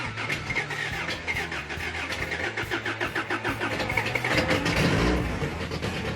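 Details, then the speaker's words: Freshly rebuilt 350 V8 just fired up on a new cam with E-curve distributor and carbs: rough, uneven idle with sharp pops and crackles from the exhaust, raw fuel exploding in the exhaust; timing close, rich mixture. "Timing's where we need it, but it's popping out of the exhaust, and sounds like raw fuel exploding in the exhaust."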